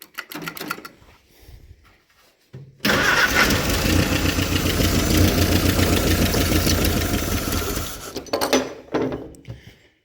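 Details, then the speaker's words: Willys CJ-2A first start in 20 years, fuel poured into carburetor, bungee throttle return: catches after cranks then runs lumpy about four pulses a second and dies; owner suspects fuel delivery or lost spark. "I think I might wrestle with this thing for a minute see if we can't make it more reliable I hope it don't lose spark again or it's not getting fuel"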